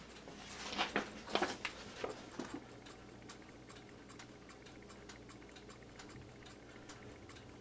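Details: c.1974 Seth Thomas Country Pine C-cell battery pre-quartz clock after movement cleaning, lubrication and accuracy adjustment, hung in dining room: a few handling bumps, then light even tick at roughly 87 per minute; running normally.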